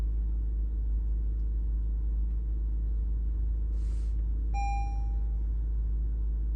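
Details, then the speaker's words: Lexus RX350 (cranks-but-no-start case) after refitting the air-flow sensor box; engine started and idles with a low even rumble, no misses, knocks or hunting, a short chime partway; normal idle. "गाड़ी आप देख सकते हैं स्टार्ट होते साथ ही जो है ना स्टिल अपनी जगह पे रुक गई है।"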